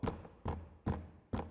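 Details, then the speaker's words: VW T6.1 door trim panel tapped after speaker install and insulation: four hollow knocks each trailing a buzzy rattle from loose plastic-on-plastic parts, quiet when held, to be damped with foam. "To hear what might actually still be rattling on the door panel. You hear that? There's something else, and I've already found it. It's these parts here. Look, it's just like this. It's just there, plastic on plastic."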